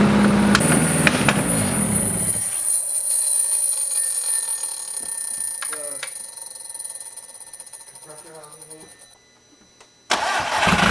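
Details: Big-turbo VW MK5 2.0T startup with new Audi TTRS low-pressure fuel pump and custom cooling piping, in a garage; engine roars unevenly, sags almost to a stall, then catches and surges back; rough running.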